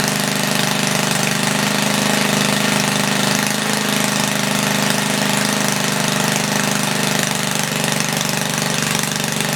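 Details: 1976 Tilly rototiller, 3hp Briggs & Stratton with points, revived after years not running; main jet leaned, points cleaned. Loud raspy unmuffled buzz steady at 3400 rpm, slight flutter, no load; normal running.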